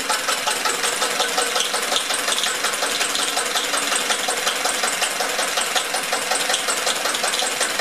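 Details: 1999 Metro Listeroid 6/1 single-cylinder diesel genset after full disassembly, cleaning and rebuild, started with the decompression lever. A slow, even chuffing beat with steady mechanical clatter and no misses or hunting: normal idle.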